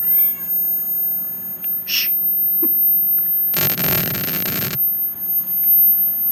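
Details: Klipsch ProMedia 2.1 subwoofer: thin, constant, very high-pitched whine under room noise, with a cat meowing and brief rustle.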